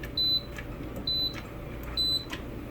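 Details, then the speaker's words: Kenmore dryer before control board replacement, nothing running: three short high beeps about a second apart over room hum; control board beeping erratically, turning itself on and off; new board to be fitted. "i don't know what it's doing does anybody know what it's doing i think maybe it's morse code for bjorn"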